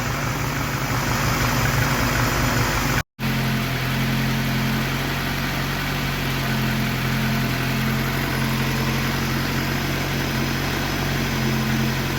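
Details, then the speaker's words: Triumph Dolomite Sprint first start after rebuild, choke on, slight smoke burning off assembly oil: smooth even idle, no rattles or knocks; normal idle. "That sounds really sweet. No rattles, no knocks, just as it should be."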